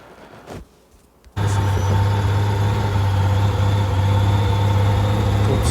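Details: 1990 Honda GL1500 being restored after long storage, spark plugs rusted and cylinder walls surface-rusted, a teaspoon of oil put in the cylinders: engine catches at once and settles into a steady, even idle with no knocks; smoke at first from burning oil.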